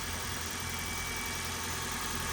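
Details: Toyota Corolla, 481,000 miles, idling after sitting 3 weeks; constant even idle with some top-end clatter from aged engine, slight oil on spark plugs, no valve cover or transmission leaks seen; no knock or miss, normal idle.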